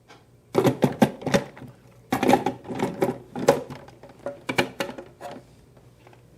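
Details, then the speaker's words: Emery Thompson CB-350 6-quart batch freezer making Payday ice cream: irregular hollow clunks in short bursts while the batch freezes; normal, clunking disappears when done. "You can hear when it's done, you know, that clunking disappears."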